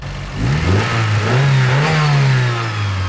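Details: Mitsubishi Evo VIII turbo engine revved during a serpentine belt noise check; smooth blips, note rising and falling with revs, clean exhaust and intake sound, no whine.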